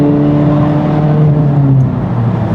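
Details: Honda Civic Type R (FL5) after a DIY transmission fluid change, downshift and third gear pull: engine drone holds steady with no whine, grind or clunk; gearbox smooth and healthy, normal shifting and acceleration.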